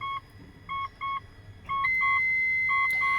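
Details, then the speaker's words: 2008 Mitsubishi Pajero 4M41 turbo diesel, ignition on: sharp beeps about a second apart, then a steady high warning tone; the hydraulic brake booster pump has failed, so the brakes work with no assist. "so there's that beeping sound it's very very loud I I don't know if the camera is doing it justice"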